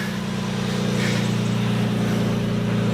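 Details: Lexus SC300 5-speed manual, lukewarm start just off the trailer, steady idle with a quick uneven puffing tick at about four beats a second: an exhaust leak.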